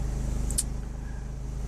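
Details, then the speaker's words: 2006 Hummer H3 3.5L, about 120,000 miles, after cleaning the mass airflow sensor and throttle body to fix rough idle: low, even engine throb with steady pulse, no stumble or hesitation, smooth healthy idle. "And I can honestly say that doing the mass airflow and the throttle body has there's no hesitation in the idle."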